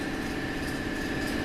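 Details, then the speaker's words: Hyundai Elantra with an A4CF2 automatic transmission and a no-park fault, running in drive: a smooth, steady hum with no grinding, clunks or slipping, so it sounds good apart from the park problem. "and again this kid have drive and let me just bring this down a little bit all right so this sounds pretty good here"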